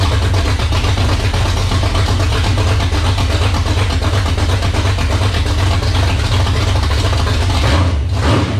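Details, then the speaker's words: First start of a 360 small-block stroker in a 1978 Dodge Warlock truck: strong, steady V8 rumble with crisp, even throttle response and no stumble. Healthy, 75 psi oil pressure at idle (high-volume oil pump) and a little over 80 when revving. "oh that was pretty impressive that thing sounded great wow we were getting 75 pounds of oil pressure at idle"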